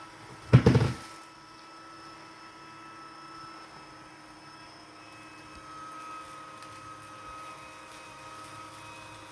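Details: Litter Robot 3 makes one loud bang on the return cycle, then a steady low motor hum as the globe keeps turning.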